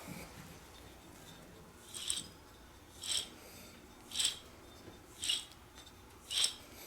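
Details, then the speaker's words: Left front wheel hub assembly from a 2013 Lexus GS350 with 127,000 miles, removed and spun by hand: a gritty rasp swells about once a second and it spins stiffly. The bearing is worn and was replaced with a new NSK unit; it caused groaning while driving. "That does not sound healthy. It sounds very gritty. I don't know if you guys can hear that. Plus it does not free spin very easily either."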